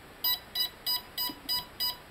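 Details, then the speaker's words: Bench test of Hobby King/Turnigy brushless outrunner on 60 A ESC, servo tester, 4S LiPo, armed via Deans switch: short, evenly spaced high-pitched beeps, no motor noise; healthy arming beeps, ESC sees the battery. "so at this point I'm just going to turn it on by completing the circuit here and we hear some healthy"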